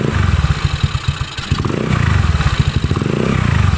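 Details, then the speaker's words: Honda Beat carburettor scooter freshly fitted with a PE24 CPO carburettor. A steady airy hiss rides over the choppy low idle because the carburettor breather hose is open. "ya nah oke teman-teman itu tadi yang suara seperti bocor ini ya Ini karena selang pernapasan dibuka ya"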